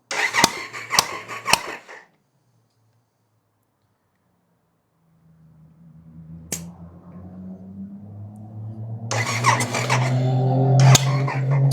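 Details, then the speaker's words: Triumph Sprint 955 (1000cc) compression test after valve shim correction, earlier low on cylinders 1 and 2, known vacuum leaks from perished hoses: starter clicks then winds to a steady, even churn with no uneven beats; compression now even. "So we are bang on. So that was the compression test after doing valve shims."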